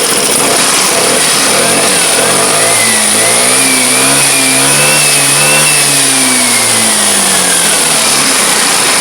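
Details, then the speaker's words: Vespa automatic (Sprint) scooter after wiring tidied and refitted: steady idle holds past 10 seconds, where it used to drop and stall, then smooth rev rising and easing back without stumbling; stable normal idle and rev. "Ini RPM sudah stabil dan digas sudah stabil."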